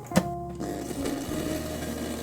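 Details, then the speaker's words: PC front-panel earphone jack: plugging a smartwatch into a front USB port to charge only, with no data exchange, causes a click then a steady low buzz with faint whine of charging interference. "저는 충전을 하는데 이런 소리가 나요 굉장히 거슬리고 불편합니다"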